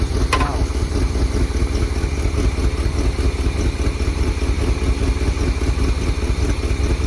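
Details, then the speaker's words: 1978 Chevy K20 4x4 Camper Special V8, sat outside 13 years, dirty oil, idle pulled up: lumpy uneven idle with deep pulse skipping irregularly about every half second; bad miss, cause not found; engine misfire. "pull that idle up some more yeah it's got a bad mess"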